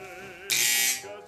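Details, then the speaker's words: Wahl 5 Star vibrating clipper running: the hum jumps into a loud, harsh buzzing rattle for about half a second. The armature tension, set by a reverse-thread screw, is too loose, so the armature wobbles. "that already tells me the tension is too loose because what's happening is it's just it's not holding this arm and hard enough so it's just wobbling around real loud"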